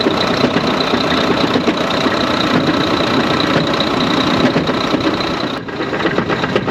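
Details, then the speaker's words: A hotwired 2014 Volvo VNL semi with an automatic transmission runs with an irregular heavy beating of two or three thumps a second over the diesel roar. Something is suspected to be coming apart in the transmission; the engine itself sounds good. "Well, there's definitely something coming apart in the transmission. It's beating around. Sounds like it's going to beat a hole in the floorboard."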